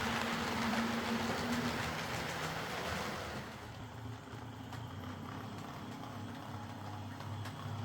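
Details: Old Hornby R751 Class 37 model locomotive after repair: wheels cleaned of corrosion with a rotary-tool brass brush, body refitted, running on track. Small motor hums evenly with light, steady rail clatter and no surging or grinding. Runs quietly and smoothly: normal running.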